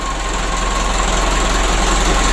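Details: Mitsubishi 120 PS Ragasa diesel, after injection pump repair, nozzle replacement and oil change for engine oil diluted with diesel fuel: steady, even idle with the usual light clatter, no misses or surges; normal idle.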